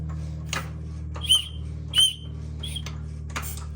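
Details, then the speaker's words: GM High Feature VVT V6 (2.8–3.6) during timing chain work, cam locks off: crank turned clockwise by hand with a 1.5 inch socket. A whistle fitted in the engine gives short high whistles about once a second, each marking top dead centre on compression. "I put the whistle in here so I can hear it when it goes to top dead. I did it till I could hear it 3 or 4 times."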